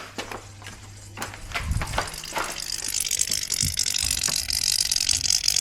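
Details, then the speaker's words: 2009 BMW 120i M Sport convertible (E88), soft top pump in trunk after motor replacement: irregular ratcheting clicks over rising hiss and whir while roof runs; weird sounds, and a fluid leak found at the bottom; cause unclear. "If there's a leak, then we need to replace the pump. Ooh, I can hear sounds. I can hear weird sounds."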